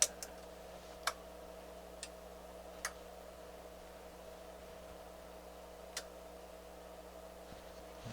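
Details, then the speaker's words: NAD C350 amplifier after all its caps were replaced: a few sharp relay clicks over a faint hum at power-up, then a shutdown into protection. One channel is 180 degrees out of phase; the fault persists. "we replaced all our caps and we did all our work and now we're getting a situation where it does a shutdown and it does it after it powers up"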